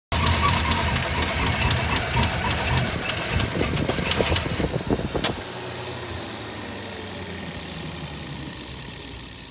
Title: 5.3 Silverado misfire